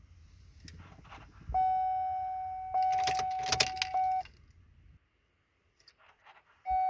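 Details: 2003 Chevy Silverado: steady warning chime sounds twice with keys rattling, but no cranking or engine noise follows; the truck won't start.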